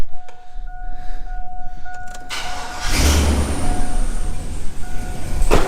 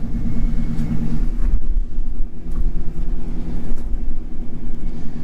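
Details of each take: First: 2500 HD that hadn't run for a year: chime, cranking and catching, then a rough, uneven idle with a massive misfire from a dead cylinder; exhaust manifold donut gasket also leaking. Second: this might be an old truck but man she runs good silky smooth look at that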